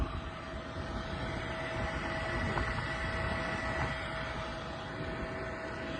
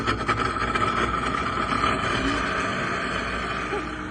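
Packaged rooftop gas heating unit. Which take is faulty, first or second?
second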